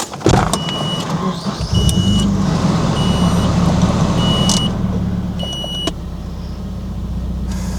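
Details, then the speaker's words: Nissan 240SX S14 idling right after a sensor replacement, check engine light still on: steady, even low hum with no misses, knocks or hunting, cabin chimes over it; idle feels smoother than before. "Okay, it's probably placebo or whatever you want to call it, but it definitely feels like it's idling better. At least smoother."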